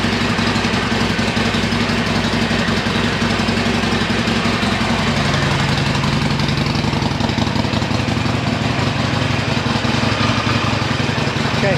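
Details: Harley-Davidson Iron 1200 starting after its dead battery, drained by the switch left in accessory, was charged about half an hour: loose, lumpy V-twin idle, steady and even with no misses or starter strain.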